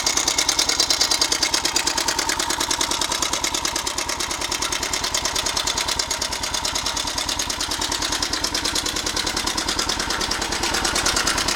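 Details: 1998 Suzuki Savage 650 single-cylinder at 10,000 miles, idling with a fast tinny metallic clatter on every turn from a loose cam chain; the tensioner was found completely out of its body.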